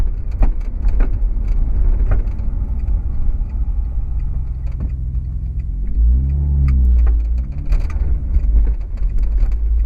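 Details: 2008 Honda Accord coupe with BC BR coilovers, rear, over bumps: sharp irregular knocks since installation 8–9 months ago. It is not the end links, sway bar, bushings, top nut or mounting bolts; the rear coilovers are blamed.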